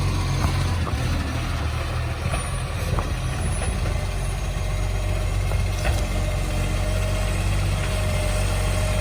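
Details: City of Joondalup green waste truck SL070 at a steady diesel idle with a deep, heavy, coarse low roar, louder than normal, from a massive exhaust leak.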